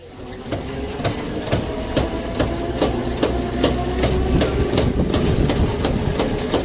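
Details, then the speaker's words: Electric tricycle: regular metallic clanks about two to three per second over a low hum, seemingly from the mid-body gearbox; low on gear oil, two bottles added and the noise stopped. "车辆开起来哐啷哐啷响啊，我们该如何检测呢？"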